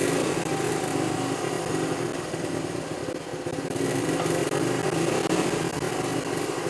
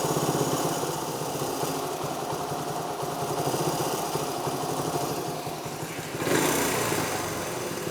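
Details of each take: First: Honda CT90 single-cylinder motorcycle idling on its aftermarket carburetor, before swapping to a cleaned, rebuilt OEM carb: uneven putter that wavers and briefly sags; it doesn't idle well and is sluggish on takeoff. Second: 1973 Honda CT90 idling on its cleaned, rebuilt original OEM carburetor, which replaced an aftermarket one; adjustment toward spec only just begun. Small single putters at a steady, even idle with no stumbles, fan hum in background; runs far better than before; normal idle.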